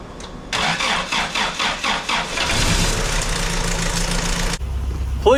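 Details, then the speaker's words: 1986 Toyota pickup, first start in 5 years after intake cleaning: about eight even cranking pulses, fires and runs about two seconds, then cuts out abruptly; owner suspects fuel filter starving it of fuel. "It died, but it ran. It ran. All right, so as you guys saw, the truck did crank."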